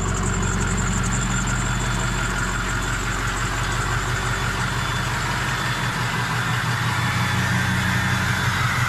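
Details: Ford 6.0 Powerstroke with MBRP 4-inch turbo-back exhaust, S&B cold air intake and SCT Livewire tuner, after a test drive and wash: steady, even diesel clatter at idle with a deep rumble and no misses or knocks. Healthy.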